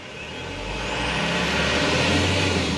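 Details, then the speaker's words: Mitsubishi Canter Euro 4 diesel truck with an electronic accelerator pedal, throttle fed in slowly: a low rumble swells evenly with no knocks, misses or hunting, and the RPM stays stable. Normal smooth revving. "Suaranya mesin, RPM-nya dia pun akan lebih stabil dan tenaganya akan terasa."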